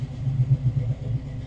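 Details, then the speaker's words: 1972 Chevy Nova restomod V8 with dual exhaust, in a cold (36°F) shop just started: deep, even burbling idle, no missed beats or knocks; healthy normal idle. "see we got her up and running we did open up the back door to the shop so we don't gas ourselves I I'm not a complete idiot just mostly so she runs good dual exhaust"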